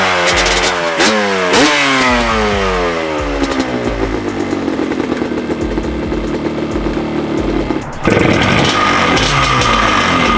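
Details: Restored 1989 Yamaha Banshee two-stroke twin with FMF pipes, first run after a wire harness swap fixed no-spark (possible slight coolant leak): crisp ring-ding revs rise and fall cleanly, steady buzzing idle without knocks or misses; healthy.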